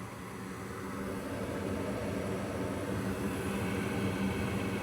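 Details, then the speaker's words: Goodman GMS80804BNBD gas furnace after replacing noisy draft inducer fan: soft, steady whoosh ramping to speed, no rattle, scrape or bearing whine; new inducer very quiet. "So, as I test the the repair unit with the new fan, it really amazes me how quiet this fan is."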